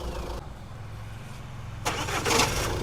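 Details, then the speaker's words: Jeep Compass 4x4 diesel at start-up: a rough clatter, then a heavy rattling thump just as the engine fires, attributed mainly to the flywheel, which is to be modified; a dual-mass flywheel clunk. "देखो जी ये sound आता है ठीक है sound आता है यह आता है मेनली फ्लाई व्हील से"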